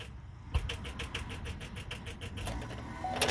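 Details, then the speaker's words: Chevrolet S10 pickup, original battery about a year and a half old with 68,000 km, A/C switched off: turning the key gives rapid, even clicking about six per second with no cranking; the battery is flat. "tô vendo bateria arriada novamente É isso aí é bateria arriada certa muito bem é a bateria Arriou"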